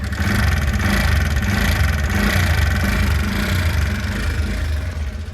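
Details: TVS Ntorq scooter after self-start with meter warning lights on: rough uneven clatter under the engine note growing as throttle opens; loose one-way starter (sprag) clutch knocking.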